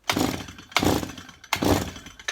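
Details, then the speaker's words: Petrol strimmer that won't start, after carburettor work, started warm on a bench without choke: three pull-cord rasps with no firing because the stop switch was off; cranking, no start. "right nothing there going to give it a little pump oh actually silly me switches off even I make silly mistakes switch was off"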